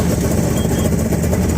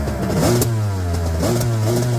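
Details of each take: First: 1998 Yamaha WaveRunner GP1200 two-stroke, 125 hours, first start after engine installation and fixing a no-power, no-start, no-display fault: starts right up and settles into an even, steady low burble with no misses; owner suspects carb adjustment needed as high range drops out. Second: 1998 Yamaha WaveRunner GP1200 two-stroke, freshly started after engine installation and no-power/no-start/no-display fix: revs surge up and down roughly and stumble at high rpm, won't hold top end cleanly; carb adjustment suspected, not confirmed.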